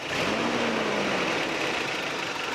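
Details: Toyota 22RE rebuilt four-cylinder in truck, about 25 miles after rebuild, no oil or fuel leaks: quiet smooth idle, soft hum settling slightly, no knocks, ticks or misses; healthy.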